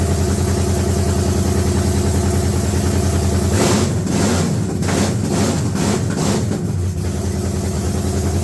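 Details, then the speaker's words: S-10 with freshly swapped engine, no radiator or alternator yet, idling with a slightly uneven lope then a few throttle blips; runs but still needs tuning, ignition timing not set because the timing light isn't working. "We know it's just down to tuning it a bit. I wish I had a functioning timing light."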